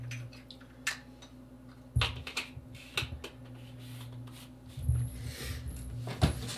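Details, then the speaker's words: Philips subwoofer, bought used, volume previously cranked all the way up: low steady hum with an irregular deep thump every second or two as the driver pulses by itself; owner suspects blown capacitors, unconfirmed. "i think it will make a weird thud yeah whenever it does the speaker the driver starts beating"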